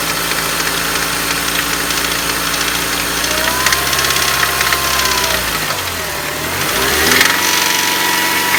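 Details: BMW M43 engine, warm idle: rough knock that comes and goes in waves, shifting as revs dip and recover; no knock when cold, starts once warmed up; cause unconfirmed.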